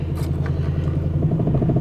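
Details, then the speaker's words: Car that has been running badly and trying to die, with a quarter tank of gas, new fuel pump, new battery and new sending unit: low idle drone with an uneven, pulsing beat. It runs rough; cause unknown. "Oh, it sounds like crap though. But I mean, it's got a quarter tank gas, got a new fuel pump, new battery, new sending unit. It runs."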